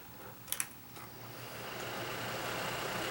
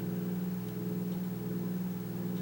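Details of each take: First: Kaz V3100 evaporative humidifier after the fan was refitted; fast then slow speed, with light clicks and then a smooth, steady air rush with no rumble. Normal fan. The earlier low-speed rumble was traced to a broken fan-motor mounting post. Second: Kaz V3100 evaporative humidifier at low fan speed: steady low hum with a faint rough growl underneath; one fan mounting post was broken, causing the rumble.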